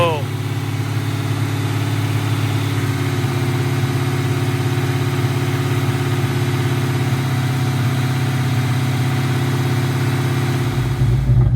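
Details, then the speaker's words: Cammed 4.6 SOHC V8 Mustang with a lumpy idle: a loose, rhythmic flopping knock from an exhaust pipe hanging on a broken hanger, not engine knock; fixed later. "That sounds just an exhaust hanger that I broke flopping around. It's not engine knock. It was fixed later."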